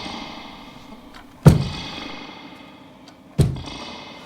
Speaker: whatever if the driver transducer is all right you can hear the Springs Rattle and Reverb